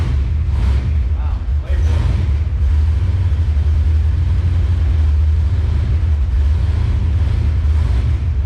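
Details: V8 swap car after new plugs, wires and sorted transmission, running through the gears: deep, even rumble, steady and smooth with no skip, miss or stumble; healthy normal running after repair.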